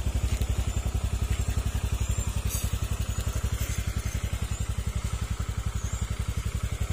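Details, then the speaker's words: Honda Click scooter idling after repair of many faults, including an aftermarket part. Quick, even putt-putt at about four beats a second, and the earlier ticking is gone: normal idle. "Yan, tahimik na siya mga sir. Wala na yung ang sakit ng ulo."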